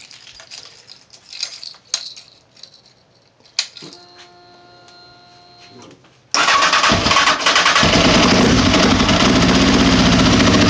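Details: Honda CBR929 motorcycle: starter cranks with a loud, regular knock about three to four a second and the engine never catches; owner has no clue of cause, suspects something broken or blown.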